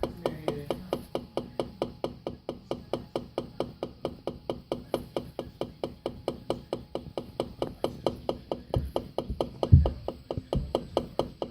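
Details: Kenmore Elite LG MC57LAUM washer: rapid, steady hollow knocks repeating throughout; knocking noise, cause not yet pinned down.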